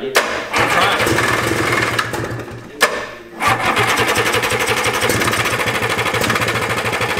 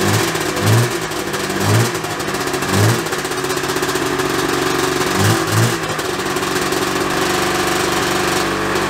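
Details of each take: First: 1987 Yamaha Exciter 570 snowmobile, first start after sitting 13 years on fresh gas: fast buzzy two-stroke crackle stays high instead of dropping to idle, needing the kill switch; throttle cables pulled too tight kept the carb needle from closing. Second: 1987 Yamaha Exciter 570 two-stroke snowmobile, revived after sitting 13 years, electric start on the battery with choke: starts right up and settles into a steady, even idle with a few light blips; normal idle.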